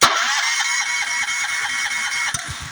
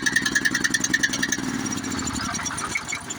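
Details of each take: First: Honda GX390 engine, key start: a steady starter whir with even compression pulses that never catch. No spark was confirmed with a tester, and a faulty low-oil sensor is grounding the ignition. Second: Honda GX series small engine that had no spark, after disconnecting the faulty low-oil sensor wire with oil full: steady, even single-cylinder thump about three and a half beats a second; starts and runs normally.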